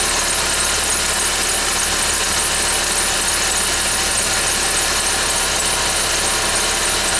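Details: 2011 Ford Fiesta with only 10,000 km, cold start: a steady high-pitched squeal, constant and without rhythm, over the cold idling engine; the cause is not pinned down.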